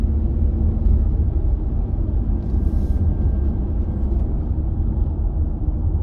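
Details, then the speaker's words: Holden VZ Adventra after replacing the worn tail shaft center bearing, which used to hit a plate with a horrible noise under heavy braking: steady low road rumble while braking hard, no clunk or groan; driveshaft now quiet. "quiet though we'll hit the brakes see what happens well it doesn't make that noise anymore that would have made a horrible noise on heavy braking that used to do"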